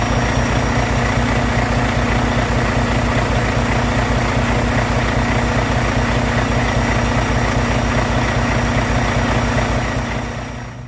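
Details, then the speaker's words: Truck diesel idling after a fuel filter change on a Davco 382 fuel water separator and priming, fuel level in the bowl adjusting: steady, even idle with a regular low firing pulse and no misses or knocks; normal idle. "And then once it's done, you just start it up. And then go out and check for leaks."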